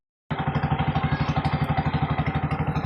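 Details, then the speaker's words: Bajaj RE three-wheeler that kept stalling and sat unused two months, running after coil rewiring/bypass with nothing replaced yet: crisp, even thump about four beats a second, no misses; runs cleanly. "Ang ganda ng pump oh. Hugong na ugong eh."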